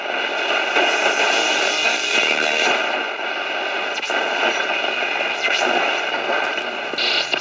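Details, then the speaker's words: 1960 West German Akkord Pinguin U60-US AM/FM/SW transistor radio, non-original antennas, tuned to a local music station; harsh, crackly, buzzy, heavily distorted audio; owner suspects failed automatic gain control; distorted AM reception. "it seems like the automatic game control is shot that's a local music station you can hear it's very heavily distorted"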